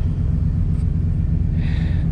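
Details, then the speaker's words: RV after a new fuel pump and new exhaust (free-flowing muffler, three-inch pipe from muffler to tailpipe), idling. Deep, steady low rumble with an even beat and no rattles or ticks; exhaust healthy. "but i do like that sound but more importantly than sound is how it's going to work"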